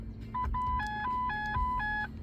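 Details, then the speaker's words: 2009 Ford Focus instrument cluster running its test sequence: clean electronic chimes stepping between two pitches in even pulses, undistorted; normal chime. "that's your Chimes just turn the music off actually for the minute and that will just go through the sequence of the different [Music] Chimes"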